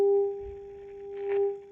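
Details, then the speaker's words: 1934 Philips 836A vintage tube radio, RF test with a signal generator; as the dial is tuned the steady test tone peaks, fades, then peaks again at a second spot; double-spot tuning because the two AM tuned circuits are mistracked relative to each other. "As you can see, we can hear the same signal, aka radio station, on two places on the dial. And that is because we have two AM circuits that are not matching the frequency they are off the frequency regarding each other."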